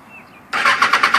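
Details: 2008 Kawasaki Ninja ZX-6R 600 motorcycle cranks quickly and evenly at about ten pulses a second with no firing or catch; turns over but won't start.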